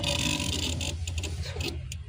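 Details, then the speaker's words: Mahindra Jayo mini with a no-start, temperature gauge high/low and no warning lights: sharp, irregular relay ticking over a low hum from the rear fuse box behind the seat (ECM and fuel pump relays); loose fuse box connection. "ఇక్కడ ఉంటాయి ఇన్నీ ECM ఫీజులు అన్నీ దీనికి ECM relay fuel pump relay ఇవన్నీ కూడా ఇక్కడే ఉంటాయి అన్నమాట సౌండ్ వస్తుంది కదా తీన్ బాక్స్ లో లూస్ కనెక్ట్ ఉందన్నమాట"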